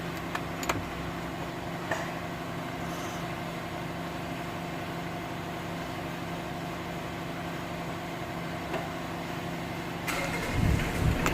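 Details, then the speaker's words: Mitsubishi Pajero diesel after fixing a fuel tank fault that starved the engine of fuel, flat battery, hand primer pumped hard, started without glow heat: steady, even diesel clatter at idle with no stumbles; idling normally. "there we go you can see that now you can see it sounds good let's take it for a test drive and see what happens but yeah sounds good"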